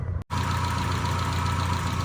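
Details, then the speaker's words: 1972 BMW 2000 Neue Klasse 2-litre engine, bonnet open: smooth, even low idle, steady hum, no knocks, ticks or misses after a brief dropout; no funny noises, doing what it should, healthy. "BMW 2-litre engine there. It's doing what it should. No histrionics or any funny noises, smells or anything. Just doing what it's supposed to do."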